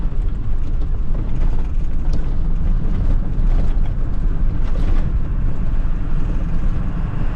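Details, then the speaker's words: Bus engine off-road, at half to three-quarter throttle; a deep roar at high revs that does not pull harder. It revs with no power, a long-running loss-of-power problem of unknown cause. "You hear how it revved up the engine? It should not be revved up that much. I have it like halfway to 3/4 down on the throttle and I have no power."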